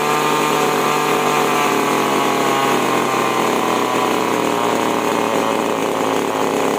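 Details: Chainsaw after H/L carburetor screw tuning and a plug change; steady, even high-revving scream with no surging; normal high-speed running.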